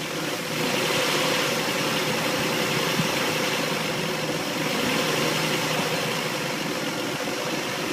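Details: Engine idling after head gasket replacement: slightly uneven, unsteady beat with a hiss on top; rough idle, owner suspects a vacuum leak, cause not confirmed.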